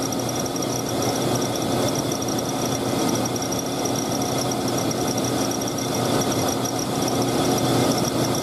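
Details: Green Jeep at idle: steady high-pitched squeal over an even engine hum, holding constant throughout; slipping serpentine belt.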